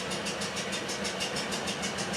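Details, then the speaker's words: 2009 Toyota Corolla 1.8L petrol, idling in Drive with check engine light and shaking, RPM dropping: steady sharp tapping about six per second; misfire from bad engine compression. "You can hear in the video the engine sound like tap tap tap tap tap tap tap tap tap tap tap tap. That's not bad, that's not good at all."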